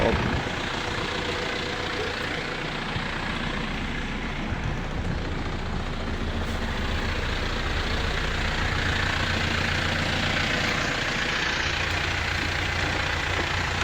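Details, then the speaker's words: Pickup engine idling after switching to Jet1 Extreme Engine Oil, which the owner says cleared the smoke and improved the engine sound: steady, even idle with a smooth low rumble, no knocks or misses; sounds healthy. "Kung pakinggan mo yung tunog, eh, maayos, di ba? So, ayos."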